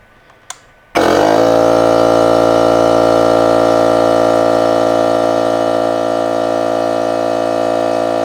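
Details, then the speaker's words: DeWalt DCC2560 FlexVolt 60V 2.5-gallon cordless air compressor filling its tank, thought to be rated about 1.2 SCFM at 90 psi; loud steady high-pitched drone with fast even beat, no knocks or surges, much louder and higher-pitched than Milwaukee M18 quiet compressor; running normally. "this noise is not the same like it's a much higher pitch noise with a much louder output like it's it's kind of annoying"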